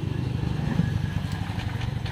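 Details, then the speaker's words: Honda Vario 125 scooter that loses and spurts radiator coolant: starter spins engine in steady rapid low chugging but it never starts; radiator water suspected entering combustion chamber. "Nah, ini motor tidak mau hidup ya. kemungkinan ruang [Musik] bakar kemasukan air radiator ya."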